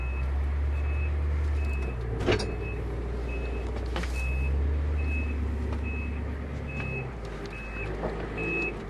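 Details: 1990 Ford E-350 Goshen bus with 7.3L diesel, backing up: regular high beeps about once a second over low idling engine rumble; reverse alarm working as it should.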